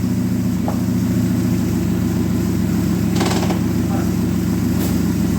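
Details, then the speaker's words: Dodge Neon stock car after crash repairs, running good after washers fixed a part touching the sprocket: steady, even four-cylinder hum, constant low pulse, no knocks or misses; normal idle. "It's all good. So she's running good."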